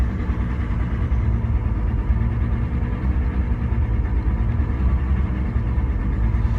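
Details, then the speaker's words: Car's first start of the season after sitting since last season, still warming up with temperatures rising, holds a deep, steady low rumble at about 1,000 rpm off the throttle without surging; fast idle during warm-up. "See, right now I let go of the gas completely. We're looking at, right around 1,000 RPM, so it's getting there."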